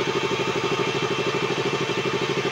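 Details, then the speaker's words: KTM RC 200 single-cylinder, warm after valve clearance fix and O2/lambda sensor replacement: steady smooth idle with even quick beats, strong radiator fan whoosh, cooling good; normal warm idle with fan running. "Lakas pa ng fan niya. Maganda pa yung cooling nito."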